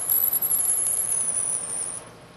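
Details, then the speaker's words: Lathe drilling fed by hand from the tailstock: a high, wavering squeal over the cut as chips pack into the drill flutes and bind, a sign to withdraw the drill, clear chips and add cutting fluid. "the squeaking you hear there is often a very good indication that you've gone far enough with this pass and it's time to remove the drill and clean the chips from the hole and from the flutes of the drill"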